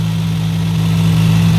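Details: Vehicle running after a no-crank, no-click fault was fixed by cleaning the negative ground connection and fitting a new anti-theft battery disconnect: a smooth, even low hum with a steady idle, no knocks, misses or clicks. Normal idle.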